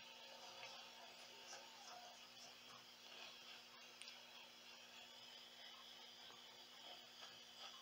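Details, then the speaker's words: Meteoro Atomic Drive 20W guitar amp at full volume: constant bright hiss over a steady low hum with scattered crackles, persisting with the pen drive off; potentiometer fault suspected, and the inside was very dirty. "alimento o aparelho liga e temos esse ruído E aí o volume está no máximo"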